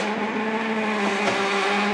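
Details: 2007 Nivona NICR610 espresso machine, 16 years old, running: loud, steady squealing grind with fixed pitch from the seized brew unit gearbox, later regenerated.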